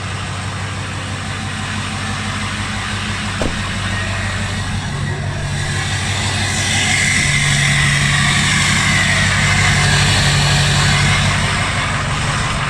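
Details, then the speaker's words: Ford 6.0 Powerstroke diesel with new injector, next-morning start: steady idle with even low chug near three beats a second and rising hiss; injectors sound healthier, though owner suspects low compression on one cylinder during starting. "the injectors sound a million times healthier still does that compression thing though"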